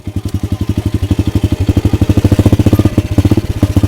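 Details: Pit bike idling while the owner fiddles with the carburetor and swaps to a spare one: uneven popping, about three chuffs a second with gaps; fuel tank found empty, causing a fuel-starvation sputter.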